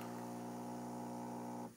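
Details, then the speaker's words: Rowenta DG8520 Perfect Steamer steam iron, previously repaired by an appliance technician for a louder noise: quiet steady low hum under two seconds as water shuttles into the chamber, then stops cleanly; normal water pump operation. "that's the sound of the water shuttling itself into the chamber. Not a loud sound."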